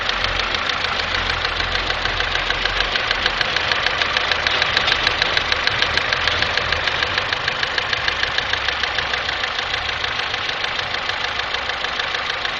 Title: Стук в двигателе G15MF Daewoo Nexia 1997 г.в.